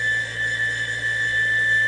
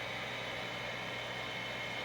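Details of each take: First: Shop heater blower motor runs with steady high-pitched squealing whine over low hum, worn motor bearings; motor struggling to start, fixed by replacing with two skateboard bearings. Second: Overhead gas shop heater after blower motor repair with two skateboard bearings: steady, even fan whir with a smooth airy hiss, no rumble, grind or bearing chirp; blower runs quietly again, normal.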